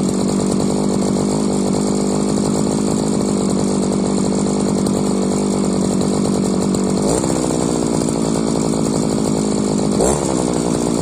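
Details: Modified Chinese brushcutter fitted with a 43 cc cylinder, keeping the old exhaust from the larger-displacement cylinder: crisp, steady two-stroke buzz at high revs with quick throttle dips and clean recovery; sounds good so far, power still to be seen.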